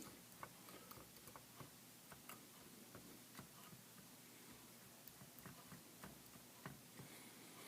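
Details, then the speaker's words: Pratt & Read keyboard in a vintage CAT synthesizer after replacing the dried, brittle rubber key bushings: soft, light clicks as keys go down and return, no clacking or rattle; quiet action with nice tactile feel. "okidokes the moment of truth the new bushings are in the keyboard and it is just very beautiful to push the keys down it's making very little noise it has a nice tactile feel to it"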